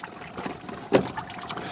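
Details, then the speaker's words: Evaporative cooler that still holds water, so it starts very quickly: the solenoid opens, the pump primes, then a soft, steady, even trickle as water falls as a curtain over the cellulose pads on all sides, with no gurgling, before the fan motor starts; normal water flow. "Pump on the other side is priming up, and there's our water delivery. So you can see it falls as a curtain,"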